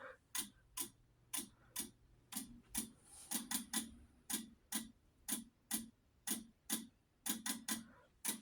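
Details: Wheelock DSM-12/24 sync module during a fire-alarm system test: crisp, evenly spaced relay clicks at roughly one a second with an occasional quick double, in a quiet room. It is working normally.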